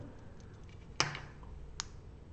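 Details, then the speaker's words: Grove relay module driven by an Arduino Uno from a push button: one sharp, crisp click against a quiet room when the button is pressed, followed by fainter ticks; the relay is switching normally. "there you go i you can hear one click noise in this relay switch can you hear it"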